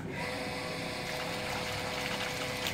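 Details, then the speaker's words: Water pump with foot valve fitted, restarted after the top was opened, water retained inside: steady motor whirr with water rushing through right away, no surging or dry rattle; primed and pumping normally. "ternyata pompa masih bisa berjalan dengan singkat Ya maksudnya itu airnya bisa langsung bisa Kenapa karena air tadi masih tinggal di sini"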